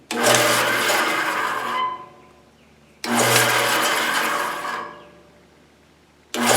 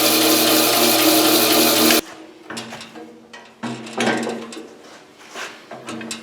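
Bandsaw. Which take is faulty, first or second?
first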